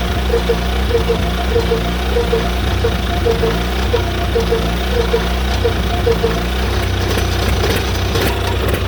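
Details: John Deere Model R tractor big diesel engine idling at first start after the pony motor was rebuilt, reinstalled and used to start it, following injector work and freeing a sticking fuel rack; steady low chug, even firing, no knocking or stumbling; normal idle.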